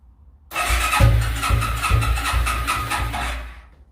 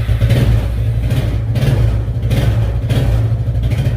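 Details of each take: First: Suzuki Quadrunner ATV, not started in 10+ years, on full choke: catches after a long crank and stumbles into a rough, uneven run for a few seconds before the choke is eased; hard starting after long storage. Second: Suzuki Quadrunner ATV barn find, first run after 10+ years unused, started on choke; steady low chugging with even firing and light valve clatter, holding speed smoothly; normal running.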